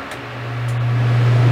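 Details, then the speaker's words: Dometic RV rooftop AC converted from analog to digital controls, fan set to low with furnace heat called: steady even low hum swells as the blower comes up to speed, no rattle or scrape; AC fan runs normally with the furnace. "and you'll hear that the fan comes on in the air conditioner with the furnace"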